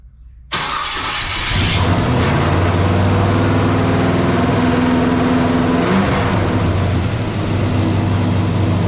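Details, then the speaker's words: 1956 Chevy Bel Air carbureted V8 with flooding problems, fired up; settles into a fast, steady idle around 1,500 rpm, far above where it should sit; idle set too high. "Last night, but now all of a sudden he's got it idling at 1,500 RPMs. Ah, that's way too much."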